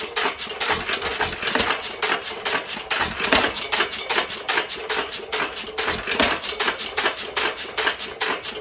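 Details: 1917 Fuller and Johnson N hit-and-miss stationary engine, first run in ten months after priming: sharp, widely spaced firing bangs, each trailing off as it coasts between power strokes, normal even hit-and-miss running.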